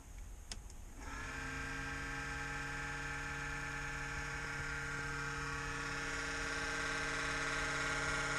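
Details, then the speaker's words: Kodiak's exhaust fan at a cold start at 37 degrees gives a loud, steady buzzing drone with a fine rattle. It happens at about 60 degrees or colder and goes away after about a minute. "is that noise it's the fan [Music] the exhaust fan beans ex it's gonna make this loud racket for about one full minute it's because it's cold 37 degrees"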